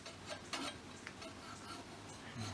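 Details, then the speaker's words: Scott Bonnar 45 reel mower restoration, setting the reel by hand-turning it: light ticks and brief swishes, with a slicing noise across the bottom blade and ticking on the right side. The reel is contacting the bottom blade. "You can hear that slicing noise pretty much all the way across the bottom of the blade. And a bit of a ticking noise over on this right side."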